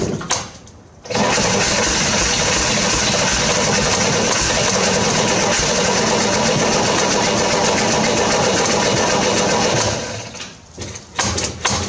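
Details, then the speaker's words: 1968 Corvair engine revival, carbs primed with gas down the throat: steady cranking for about nine seconds, barking off a couple of times but never sustaining a run, battery weakening. Cranks but will not keep running. "So, I couldn't get it to run. I got it to crank. I got it to kind of bark off a couple times, but I wasn't able to get it to sustain"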